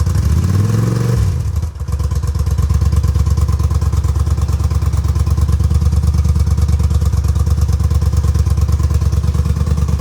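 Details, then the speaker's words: 1981 Honda Silver Wing (GL500) V-twin, first start after fuel restored to carb bowl, carburetors not yet rebuilt: revs drop, nearly stalls, recovers to lumpy uneven putter about three beats a second; won't idle without throttle held, cause unconfirmed. "hey I have to hold the throttle open to keep it on"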